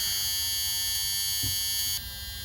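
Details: 2001 Tiffin Allegro Bus 35IP motorhome, key on and engine off during 12-volt dash fan troubleshooting: a continuous, shrill dash buzz. This is the low air pressure warning, expected with no air.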